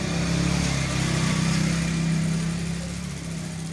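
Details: Juicer motor that someone had rewound, after repair: it had needed a push to start because the wire at its terminal still had insulation on and passed no current. Tested on a 100 W series bulb, it now self-starts with a steady, even whirr that eases slightly, running normally.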